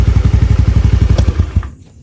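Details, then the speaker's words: Honda Beat FI scooter after spark plug replacement and manual reset: idle now stable but engine stumbles and hesitates under throttle, beat faltering; throttle body/IACV reset planned next. "Ya dia nggak mau di gas spontan ya dia masih lambat ya masih melebet untuk langsam dia udah stabil Ya udah bagus ya jadi kita harus lakukan seperti tadi ya riset manual nah ini gasnya dia agak brebet"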